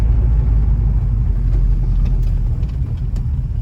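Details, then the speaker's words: Ford Mustang Mach 1 on its first drive after a breakdown repair: deep, steady low rumble, even beat, no misses or knocks; idles much better. "thing idles a lot better"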